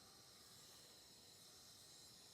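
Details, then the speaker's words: 2000 Honda Foreman 450 ES, engine out, during a leak-down test: steady soft hiss with the engine off; 30 psi applied holds only 20, with air heard escaping past a leaking exhaust valve. "But right here I'm putting 30 psi in here and it's only holding 20, so it's leaking down 10 psi. I can hear it in the exhaust valve."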